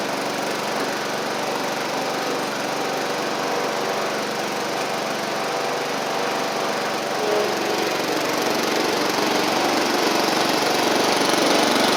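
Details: Sabre riding mower test drive after new drive belt, blades and head gasket, about 32°F outside: single-cylinder engine holds a steady, even drone with a slight rise under load near the end, no knocks or slipping. Residual oil smoke burning off. Normal running.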